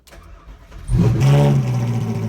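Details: Ferrari 458 Challenge car, repainted and reassembled, first start after electrical repair with a new switch and a charged dead battery: quiet starter whir, then it catches within a second into a strong, even deep rumble. Normal engine start.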